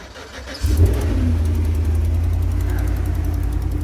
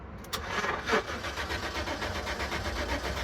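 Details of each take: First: 2010 GMC Savana V8 after crank no-start, traced to a likely broken wire from the ECM to the relay: fires quickly and settles into a smooth, even idle. The light tick on top is normal valve or exhaust noise. Normal idle. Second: 2010 GMC Savana van cranks at an even rhythm but never fires: crank no start. Several cut wires found underneath; a relay or the passlock system is suspected but not confirmed.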